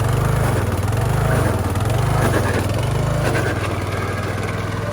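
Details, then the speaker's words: Craftsman LT1000 yard tractor, sat a long time, first drive: single-cylinder engine labours with slow surging swell about once a second as the drive drags and binds; suspected locked-up hydrostatic transmission gears, possibly water; unconfirmed. "There you go. Oh, it doesn't sound good. Want this up front? Does it work in reverse? Do the slower gears work? That just seems like she's been sitting for too long."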